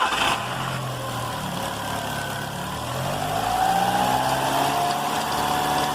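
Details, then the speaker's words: Car engine starting and idling with a light, fast, squeaky chirp several times a second from the front accessory belt area, said to get worse while driving; could be a plastic part touching the belt or a bad alternator bearing. "esse barulho barulho é semelhante uma cigarrinha um barulho no motor do carro pode ser esse plástico que esteja pegando na correia pode ser o alternador com rolamento com d um rolamento alternador com defeito"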